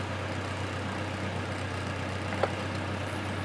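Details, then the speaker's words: Toyota Tacoma started right after an oil change: steady, even idle at about 1000 rpm with no knocks or ticks; oil pressure warning light went out and the engine sounds normal. "we're up nominal idle at about a thousand rpm oil pressure warning light has extinguished everything sounds normal"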